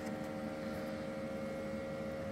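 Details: Anycubic Photon M3 Max auto-feed pump humming steadily at an even, unbroken pitch with no stutter or surging, after the cap washer was refitted: the bottle now pressurises and resin pours out normally.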